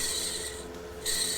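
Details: 1969 Lincoln Idealarc 250 welder, fan motor removed and shaft turned by hand: a dry, scratchy rasp from worn, dry fan bearings, to be cleaned and repacked.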